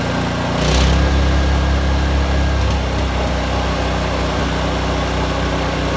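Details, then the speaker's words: Vanguard 9HP engine on a tractor, run after carburetor cleaning, air box and filter refitted: loud deep engine note with an uneven, stumbling beat and occasional dropped pulses; engine misfire, owner suspects the spark plug, cause unconfirmed. "well she sounds [Music] okay sounds like we got a little bit of a misfire in there"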